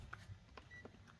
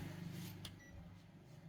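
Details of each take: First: Panasonic 100V single induction cooktop mistakenly plugged into 220V, powered up for testing: a couple of faint short high beeps in a quiet room, drawing about 4 W; beeping at power-on, cause unclear. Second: Panasonic 100V single induction cooktop reportedly plugged into 220V, powered up and drawing 4 W: a sharp click then brief high beep as the cook button is pressed over low room hum; normal button beep, cooktop still works.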